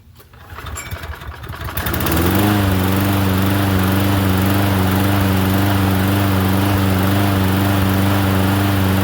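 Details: Toro Recycler 22-inch self-propelled mower after welding broken left front wheel bracket and retreading rear wheels, carburetor untouched: engine catches after short pull and settles into steady, even, smooth beat with no misses or knocks; runs healthy.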